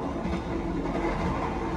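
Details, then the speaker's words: Inside the rearmost seats of a retrofitted new-generation economy coach on the Jaka Tingkir train, Jakarta–Jogja: loud, steady wheel-on-rail rumble; noise seems to leak through an opening near the rear, while mid-car seats are quieter. "ini berisik banget ekonomi du ini tapi kalau di tengah-tengah kayaknya ggak begitu berisik"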